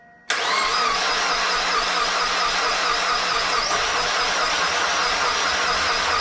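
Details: Mazda Miata after valve seals, timing belt, pulleys, water pump and belts replaced, air box not fully reassembled: engine fires into a strained, uneven run with no clean idle and a strong fuel smell; owner suspects flooding, hydrolock or a dead cylinder.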